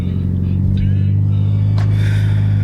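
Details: Mitsubishi Evo X at idle after new coil packs were installed for a misfire; deep, steady rumble at an even low pitch with no stumble or miss, and it later drove smoothly with a steadier air-fuel ratio.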